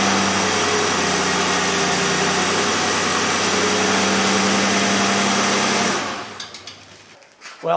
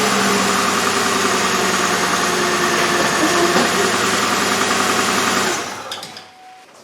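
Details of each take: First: 2003 Chevrolet Impala 3.4L after ignition work for a P0300 misfire with flashing engine light: smooth, even idle with no stumble or skipped beat, misfire gone. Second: 2003 Chevrolet Impala 3.4L, flashing engine light, P0300 code, fuel pressure steady at 50-55 psi: uneven, lumpy idle stumbling about three times a second, engine shaking, not a fuel issue; misfire traced to worn plugs and wires.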